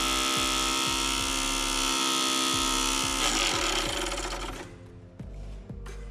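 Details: Eberspacher Airtronic heater on test bench, ventilation mode: steady high whirring with regular scraping tick about four times a second, fading as it spins down; factory fault, blower fan touching ECU.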